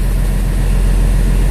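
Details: International 4900 DT466 diesel idling after fixing an air leak at the pressure sensor, warning cleared at about 70 psi: deep, even rumble at a steady idle with no misses, knocks or hiss; normal idle.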